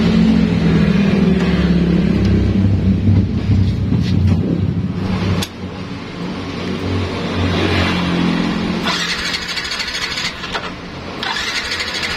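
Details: Yamaha Nmax scooter: electric starter spins the engine over steadily for several seconds but it never catches. Fuse, spark plug, coil and ECU checked normal; the fault lay in the electrical wiring.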